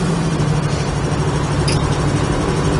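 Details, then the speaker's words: 1968 Chevrolet Camaro driving on the road with replaced steering box: smooth, steady V8 rumble with no misses, knocks, rattles or shakes through the road noise; runs nicely. "Nice tight running car. You can hear there's no rattles or shakes or shimmies or anything in it whatsoever. It's a nice running car."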